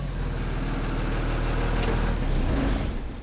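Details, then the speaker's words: 2007 Blue Bird school bus with a Cummins diesel, running after a defective starter relay was replaced to cure a no-crank no-start: steady, deep, even idle with no misses or knocks until shutdown; normal idle. "So right there, as you can now see, the bus runs, the engine runs good, so this is fixed."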